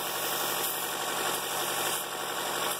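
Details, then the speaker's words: 2013 Chevrolet Volt petrol engine warming up at idle, engine cover off: steady airy hiss from a leaking valve cover PCV part letting air in, causing lean fuel trims and emissions readiness failure. "So if you open your hood and you hear that hiss, that's a huge indication."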